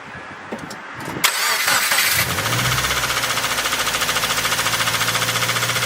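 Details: Engine cranks, catches and idles with a steady, regular knock confirmed as a bad bearing (rod knock) after adding gear oil to thicken the engine oil.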